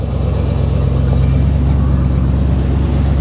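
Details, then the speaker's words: Square-body Chevy truck with a GM Goodwrench 350 small-block crate motor and Edelbrock carburetor runs with a deep, even V8 rumble and no knocks or misses; runs really well. "Runs like a damn top though, guys. I mean, seriously, it actually runs really well."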